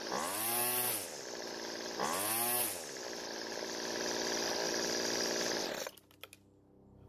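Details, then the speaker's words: Two-stroke weedeater trimmer that dies on throttle, carburetor L (idle) screw richened twice: buzzy engine swells then falls back; first adjustment raised speed, second extra fuel slowed it. "the engine changed both times when I added fuel the first time the engine speed increased and it ran fine but I added more fuel the second time it actually slowed the engine down"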